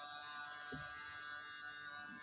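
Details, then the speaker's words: Hitachi VT-LC50EM portable video cassette player on mains power with no battery: the screen turns on but the unit is unusable, with a faint, steady electric whir and thin buzz as the motor spins continuously and won't stop. "จอติดนะครับแต่ว่าเสียมอเตอร์หมุนค้างนะครับเราก็จะดับไปนะครับเราปิดหน้าจอนะครับ"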